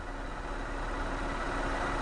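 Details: 2001 Toyota Sienna after replacing a blown fuse that caused a no-start, possibly a grounded wire after underbody cleaning: smooth, even idle with steady low hum, no misses, knocks or hunting; running normally.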